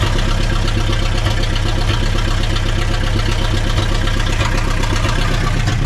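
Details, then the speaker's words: 1960 Pontiac Ventura, base 389 two-barrel V8 with automatic, revived after 24 years parked: an uneven, loping idle with a soft stumble about four times a second, missing a cylinder. It is better after attention but a slight stumble remains. "let's fire it up now and see how it acts that's better yeah we were missing a cylinder still got a little bit bit of a bbal but not bad"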